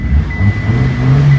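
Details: Hyundai with a misfire, after the ECU box was replaced; smooth, even low engine note through a short rev with no stumble or missing beat, all cylinders firing cleanly, normal running.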